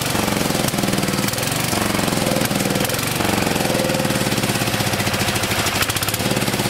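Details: 1974 Power King tractor, single cylinder, just started after about three years sitting; thumps steadily at fast idle with a few brief stumbles. Runs unevenly; owner says the carburetor needs cleaning.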